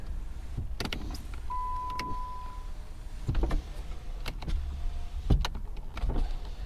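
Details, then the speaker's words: Flood-damaged car at auction, 44,000 miles, whose engine won't crank and may be seized: several short whirring runs of the power window motors, each ending in a soft thud as the glass seats. All windows work normally. "But I mean, we've got, looks like we got working windows."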